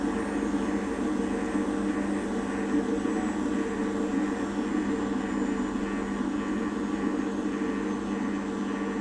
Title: washing machine apell slow down from 1000rpm with bad bearings